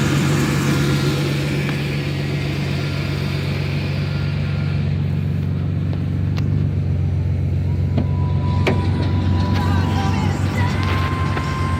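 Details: 2002 Dodge Intrepid 2.7 V6, 213,000 miles, after tightening a loose alternator bolt that caused belt squeal when turning the wheel: steady, even low idle with no squeal or chirp; normal idle.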